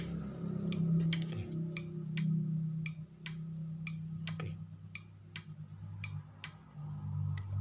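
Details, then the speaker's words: Motorcycle turn-signal flasher relay after repair of a broken internal contact: crisp ticks about three or four per second over a low hum, same sound as a good unit; clicking normally. "dieses nach der Reparatur, dieses hat immer noch den gleichen Klang, und das ist das normale, okay"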